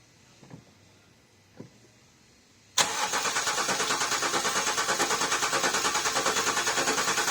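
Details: 2010 Range Rover Sport L320 V6 diesel with a no-start, cranking during a test of the Bosch fuel pressure regulator control valve; steady even cranking at about three beats a second that never fires. The sensor seemed fine, so a low-pressure blockage or lift pump is suspected next.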